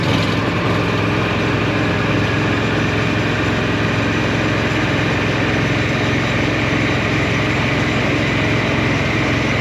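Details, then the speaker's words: Argo Avenger EFI amphibious ATV after replacing the failed fuel pump and filter: steady, even engine note at constant idle with no misses, knocks or surging; running properly. "so I'm gonna do one more test up front make sure that this is running properly let's get up here and reach over the top yep I can hear it"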